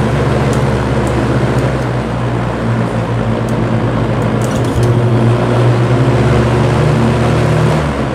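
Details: Vintage Lakewood S-223 box fan, Westinghouse motor: steady low hum under even whoosh, no speed change; bearings sound quiet and healthy, rear bearing freshly oiled; hum cause unknown.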